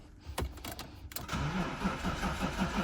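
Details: BMW E36 after fuel and coolant system refresh, new fuel pump fitted and fuel lines redone: starter cranks with uneven chugging for a couple of seconds but the engine never fires; owner suspects fuel supply or weak battery, not confirmed.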